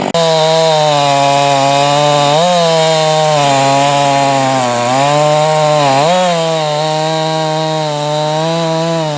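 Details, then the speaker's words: Husqvarna 345 converted to a 350 with a finger-port cylinder, fitted with a carburetor with a purge circuit from a later 350 to cure inconsistent running; cutting wood, a strong high buzz that dips and recovers cleanly; runs healthy under load. "So, um I'm going to fire it up and do some work and see if it can uh stay consistent under a little bit heavier workload than what I did up at the house."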